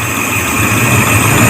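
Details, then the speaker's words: Suzuki Katana / Jimny 4x4 carburetor being analysed for high fuel use; turning the air mixture screw out almost to loose only gives a faint wobble in idle speed, no heavy stumble, so the carburetor is judged not running too rich; slightly uneven idle. "Kalau di karburator ini dianalisa tidak kelebihan bensin, dengan ditandai kalau diputar sampai ini agak mau lepas, putaran mesin tidak, walaupun goyang tapi tidak terlalu tidak terlalu kelebihan."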